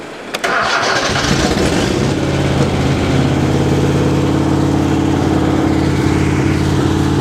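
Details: 1970s VW-engined custom trike after fixing a flooding carburetor, started on a low battery after pumping the accelerator pump; brief crank, then it catches and settles into a steady, even idle with a low regular beat; runs fine.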